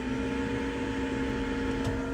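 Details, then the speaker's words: Autosleeper Mezan motorhome heater set to fan-only mode with no heating, blowing cold air: after a few seconds the blower comes on with a steady, even mid-pitched hum, no rattle or scrape; fan running normally. "So then after a few seconds or so, the fan will turn on, as you can hear."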